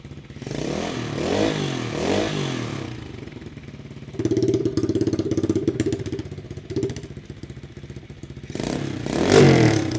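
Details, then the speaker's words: Rebuilt 125cc-swapped Chinese pit bike (new cylinder and piston) with freshly welded muffler: crisp single-cylinder revs rising and falling cleanly, smooth even exhaust bark, no misses; healthy engine and muffler, sounds very good. "I think that has a better exhaust note though. Wow. I cannot believe how good that sounds."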